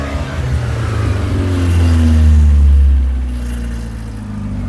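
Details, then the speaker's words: Skoda 120 with 1.8 16v engine, running again after gear linkage repair: revs climb on a blip, then sag back slowly; sluggish throttle return, suspected from the altered throttle cable. Some black smoke. "Very slow to return. I might have to get a new throttle cable made because I've altered that and it's running as straight as it can now. It's still a bit laggy."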